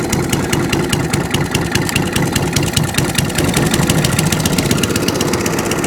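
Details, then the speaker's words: Mower after its carb was drained and blown out, started on a bit of choke: busy, choppy engine with a quick firing pulse and some clatter, running and revving under throttle. Drive works but is crunchy. "there she goes drive yeah drive works cylinder oh yeah throttle"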